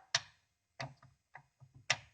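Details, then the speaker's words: Audi R8 with newly fitted BC coilovers, rear suspension unloaded and bolts not yet tightened: a handful of sharp, irregular metallic clicks and rattles as the bolts shift in the tolerance of their holes. The fix is to jack the suspension up before tightening. "You can see it's got a bit of tolerance in the bolt holes. You can see it rattling. So you could hear it more than see it."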